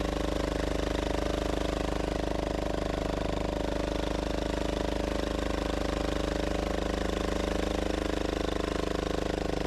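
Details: Gravely Model L repowered with a 10 HP Yanmar L100-clone single-cylinder diesel, first run after bleeding the injector line: steady thumping with loose clattering rattle on every beat from the exhaust bouncing around.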